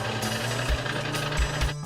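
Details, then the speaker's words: Snowie 3000 ice shaver powered up after a blade change, for an alignment test: a steady low motor hum with an even buzzing whir, no grinding or metallic scraping, meaning the blade and housing are properly aligned. "the snowy 3000 has a unique comp when it is properly aligned"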